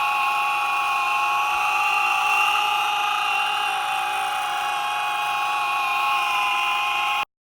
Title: Clicking noise on Boosted board motor